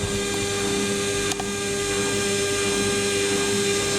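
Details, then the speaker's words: Beko WMA641W 1400-spin washer on spin-only: a steady high motor whine at one pitch without grinding or knocking, the typical loud whiny noise for these machines. "yeah that's just typical sound we get from these"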